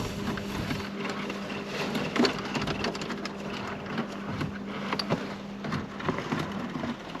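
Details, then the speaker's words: 2006 Mercedes-Benz CLS 500 being revived after a jump start: with the key removed, a steady low hum with faint ticks keeps going, so something stays constantly powered; source not yet found. "You heard all this noise? So that tells me something is constantly going."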